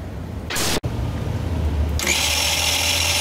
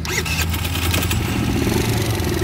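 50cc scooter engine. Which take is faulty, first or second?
first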